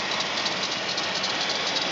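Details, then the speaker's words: 1997 GMC Safari 4.3L: constant harsh, high-pitched grinding hiss from the front left of the engine; the alternator is suspected and belt tension is low, but the belt was replaced about a year ago. "H folks as you can hear I got something making a God awful racket coming from the front of my motor"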